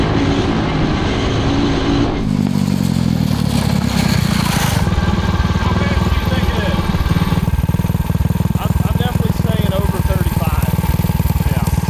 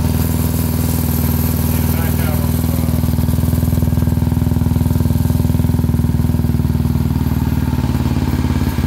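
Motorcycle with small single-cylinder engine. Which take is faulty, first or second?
first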